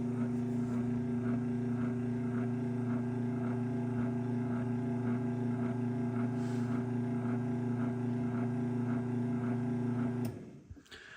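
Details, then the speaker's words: LiftMaster 3585P Elite Series 3/4 hp belt-drive garage door opener from 2007 with a dual-capacitor board: even, quiet motor hum with a faint rhythmic belt tick and a little ungreased top bushing noise; normal, very quiet operation. "All you can hear is a little tiny bit of top bushing noise because I didn't pull this one apart and grease it. But as you can hear, this thing is quiet."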